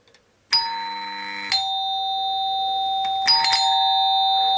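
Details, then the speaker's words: Doorbell chime on 230 V AC: clean ding, then a second ding, each held steady while the button is pressed as the coil's magnetic field pulls the plunger; normal healthy chime. "el típico sonido del timbre fijaos una cosa que mientras que yo no suelte la fase por el electroimán en este caso por la bobina se está produciendo un campo magnético y el émbolo está atraído"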